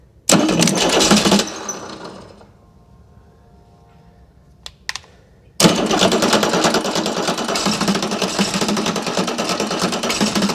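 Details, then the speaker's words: Chrysler-badged Mitsubishi 6DS70 six-cylinder marine diesel, sat for years in a barn, cranking on two old batteries with injector lines cracked loose. Fuel barely at the fifth, none at the sixth; air in the lines, no start. "we got fuel at the fifth one barely leaking out nothing at the sixth one"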